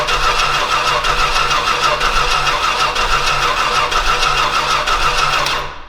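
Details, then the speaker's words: Old Stewart & Stevenson aircraft tug with a vacuum hose hooked up and plenty of fuel getting through: the starter cranks at about three beats a second with uneven, lopsided pulses that never catch, then stops; it won't start. Cause suspected, not confirmed. "it's wanting it's wanting to go it's wanting to go"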